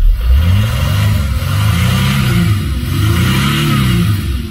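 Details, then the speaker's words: 2006 Mercedes CLK 320 3.0 V6 diesel (OM642) after repair and new seal for limp mode fault 2513-1: revs climb smoothly in repeated even pulls past former 3000 rpm limit, no hesitation; accelerating normally. "Obviously, I didn't show the test drive of the car, but like I showed in the beginning, it never used to go over 3000 revs, and now"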